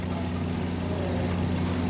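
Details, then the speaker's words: Hyundai Grand i10 (2025 model) petrol engine idling after complete overhaul: smooth steady low hum with no knocks, ticks or rattles; quiet and even. "Tahimik na, ha. Yun, oh. Tahimik niya. Ganda. O, yan, ang bagong overhaul."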